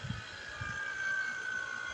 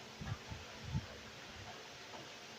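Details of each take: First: 2008 Honda Accord 3.5L EX after AC compressor replacement, with a vacuum pump connected to the AC system. A quiet, steady high whine sags slightly in pitch as the gauge valves open and it starts evacuating the system. Normal vacuum pump operation. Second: 2008 Honda Accord 3.5L EX during AC compressor replacement: brief sharp hiss as refrigerant vents at the gauge coupler because its valve wasn't backed off before connecting to the service port.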